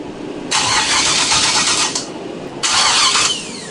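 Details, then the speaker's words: 600+ hp forged-engine 1976 Camaro V8 on Holley Dominator EFI: two bursts of fast, even starter whirring, about a second and under a second, never fires; flooded crank no start from reversed MAP sensor wiring filling crankcase with fuel. "I put the wires backwards and almost pretty much roached my several thousand dollar filet forged motor by filling the crankcase of fuel twice now"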